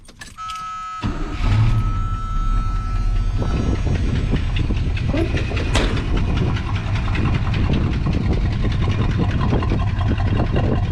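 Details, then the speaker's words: 1982 Chevy C10 5.0L V8 starting and idling: quick sharp ticking from the right bank at low idle, caused by a broken exhaust manifold gasket. "the ticking noise came from the right side right [Music] Bank put the on the right side of the right s like a a noise or knocking noise could be leaking ex manle or maybe leaking at a muffler"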